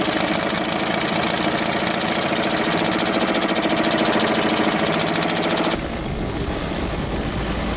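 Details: Old diesel vibratory roller that broke down about 20 years ago, first run after years: uneven, lumpy beat about 200 a minute, one cylinder not firing steadily; misfire, owner suspects debris in the injector.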